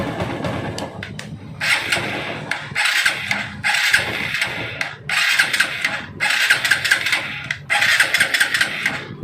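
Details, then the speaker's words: TVS bike on self-start feels like it has no petrol; wiring harness found chafed and damaged, cause suspected: repeated starter cranking bursts, about six tries in nine seconds, never catches; cranks but won't start. "இந்த மாதிரியான self போடுறப்ப பார்த்திங்கன்னா வண்டி வந்து petrol இல்லாத மாதிரியே ஒரு அதாவது ஒரு சென்சேஷன் இருந்துச்சு."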